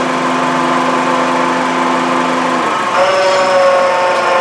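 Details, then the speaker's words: 2011 Honda CR-V at idle with a racket audible inside over the radio. The loud, rough noise jumps in pitch as the AC compressor clutch cycles on and off. A bad compressor bearing is suspected, before confirming with a screwdriver stethoscope. "That changes actually when the air conditioning compressor turns off and on is when it changes pitch. So I have a feeling it's going to be a bad compressor, but we're going to check just to make sure before we go ahead and do anything."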